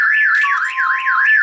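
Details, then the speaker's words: 5.0 Mustang with a Clifford alarm, just after a battery was installed; sitting on the car set it off. A loud warbling siren sweeping up and down about three times a second; an oversensitive shock sensor. "I literally sat on the car yo i sat on it that's how sensitive this thing is"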